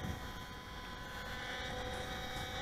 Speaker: the buzzing which has stopped but it will come back that's from the gear door servos which continually Drive the doors closed